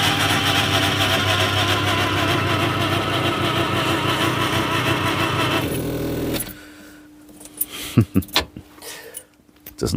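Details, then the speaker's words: Skoda Estelle 120 fitted with a 1.8 16V Rover K-series engine, left untouched a year: cranking, a fast even starter whirr with no compression pulses as it spins freely, then silence; metal pieces later seen inside. "I'll crank it over see if they move if it'll crank over won't need anything other than just fuel pump"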